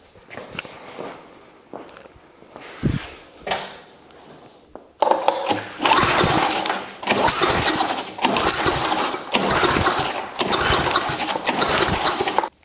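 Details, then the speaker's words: 1972 John Deere 56 mower with swapped-in engine, heavier to pull over than the previous one, freshly fuelled: several pull-cord rasps spin it over but it never fires; cranking no-start, later traced to spark present but no fuel. "well we got nothing so far this definitely is a heavier engine to pull over than my previous one but not going to give up yet"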